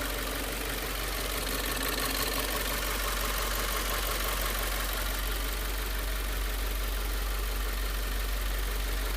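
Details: Subaru WRX turbo petrol engine idling after filling with regular 87-octane gas: steady light ticking about three per second over the rumble; possible knock, not confirmed.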